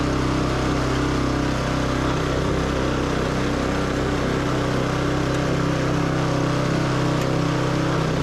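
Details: Yamaha YS624T snow blower after starter repair and carb cleaning, throttle pinned, should rev about 4000 rpm (not yet confirmed with tach): steady high drone, speed constant with no surging or misfire; normal full-throttle running.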